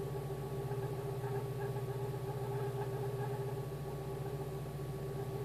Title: Polo CL (86C), AAU, Hallgeber war defekt, Motorgeräusch nach Reparatur